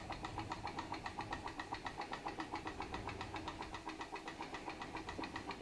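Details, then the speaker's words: PM Research glass Stirling engine (Solar Engine #7) turning a model Baker fan: soft even chuffs about four per second, steady rhythm, no knocks, slowed under load and still working; normal running under load. "it's working to turn that baker fan sounds great sounds like an engine under load working"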